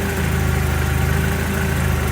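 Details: MX5 / MGB with newly fitted supercharger kit, first start after install: steady, even low idle with smooth hum, no belt slap or squeal; lower belt looks close to pulley edge but not slipping. Normal idle.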